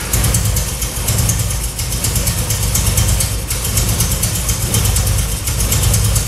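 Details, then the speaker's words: 1966 Triumph Spitfire MK2 four-cylinder on adjusted carbs, started to test the ignition: rough, lumpy idle with dropped beats, still misfiring; owner then rebuilt the carbs, but the cause was two spark plug leads swapped. "Okay, it still runs very rough, and I decided to go ahead and rebuild the carbs."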